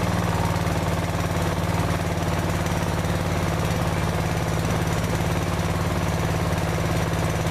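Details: Older Briggs & Stratton 16hp OHV single-cylinder engine after a valve clearance adjustment for noisy valves: a steady, low thump of about three beats a second, even and unbroken, with no valve ticking. It runs smoothly.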